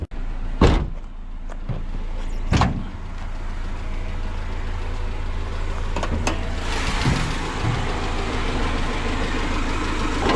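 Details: Bone-stock Honda Civic CX hatchback (EG) with a freshly swapped stock single-cam long block replacing a toasted engine; smooth, even low idle hum under door and handling bumps, no knocks. Healthy.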